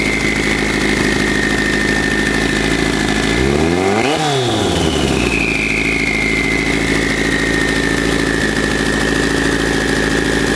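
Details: 1984 Kawasaki GPZ750 Turbo, fuel-injected, first start after sitting under a tarp since 1989; rusty fuel tank, dirty injectors. Steady idle, one quick blip up and back, then settling evenly; rough running improving.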